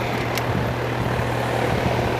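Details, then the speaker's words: Air conditioner with no cooling: steady condenser fan rush over a low hum, no compressor drone, zero amps on compressor common; compressor not starting due to a failed capacitor. "You guys can see zero amps. So this means my compressor's not"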